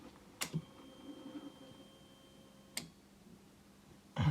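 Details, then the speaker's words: 1999 Triumph Sprint ST 955 motorcycle, 52,621 km, key on with nearly full tank: two sharp single clicks about two seconds apart in a quiet room, possibly the starter relay; source unconfirmed. "claquement un claquement peut-être bien le relais de démarrer ici"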